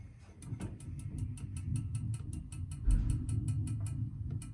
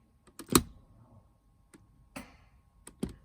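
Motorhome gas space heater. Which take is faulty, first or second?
first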